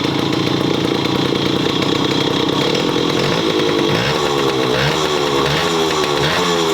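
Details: Yamaha Chappy 50 two-stroke with bore-up, at idle: harsh buzzy idle with rattling edge and slightly wandering pitch; abnormal engine noise, owner suspects crank or head.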